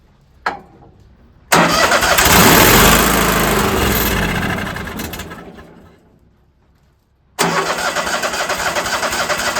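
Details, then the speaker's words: Old Ford tractor, winter, after carburetor cleaner squirted into the carburetor: starter spins hard, fades with no catch, then cranks again; turns over but won't start, acting like it isn't pulling fuel. "Well, maybe it didn't work. Still acts like it's not pulling no fuel."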